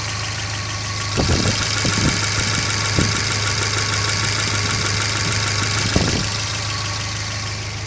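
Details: Volvo B230FB petrol engine running with a steady hum and a few sharp irregular knocks near the end; cause unknown.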